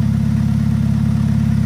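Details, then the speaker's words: Car at idle, heard in engine bay: loud, deep rumble with rapid low puffing pulse from an exhaust leak, a hole somewhere in the exhaust; brief squeak is the belt. "a hole in the exhaust somewhere it could be in the front all right the whole exhaust system goes all the way to the back of the car basically"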